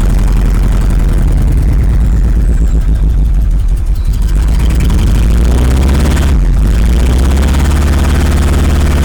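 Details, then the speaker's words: 1986 Rolls-Royce Silver Spirit II, parked since 2022, just caught after long cold cranking: lumpy, uneven idle with stumbling beats, a dead cylinder misfiring; still some bad fuel in it, spark plugs to be pulled and checked next. "There it is. Running. Obviously still got a bit of bad fuel in it."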